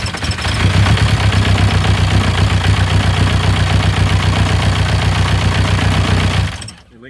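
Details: Rebuilt VW Passat B4 diesel, first crank with injector lines left loose to bleed fuel; fast, steady cranking at about four beats a second, rough with fuel spraying from a loose line, showing signs of wanting to run.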